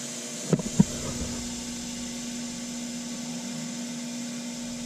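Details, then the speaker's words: HiBlow 80 aeration pump on an aerobic septic system, after rebuild: a couple of clicks, then a steady low buzzing hum with no rattle. Normal pump operation, though the alarm light stays yellow because a small tube on the pump's bottom isn't hooked up. "Y'all can hear that or not, but that pump is going, but I still have a yellow light on because there's that little tube on the bottom of this pump that's not hooked up, but I think that'll work."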